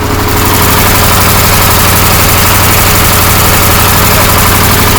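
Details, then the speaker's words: KamAZ truck diesel idling after the air dryer's thin supply hose was replaced with a copper tube; even beat with no hissing or sneezing puffs from the dryer; air system works normally. "проверим будет чихать или нет человек умирал твой работает нормально"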